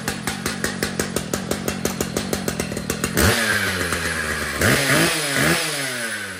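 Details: Brand-new Stihl MS 881 chainsaw, being set up: even popping idle, then revs cleanly and strongly to high speed and drops back; normal running.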